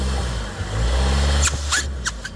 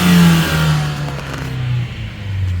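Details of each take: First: 2014 Ford Escape 1.6 EcoBoost, hard throttle while driving: engine revs under load, then short airy hissing spurts as boost builds; turbo charge pipe leaking, found at bottom hose elbow, car lacking boost and low-end torque. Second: 2014 Ford Escape in park on ramps, after fixing a leaking charge pipe at the bottom hose elbow (intercooler to throttle body): the engine revs, then falls back with a soft internal blow-off valve release. Boost now holds; normal turbo operation.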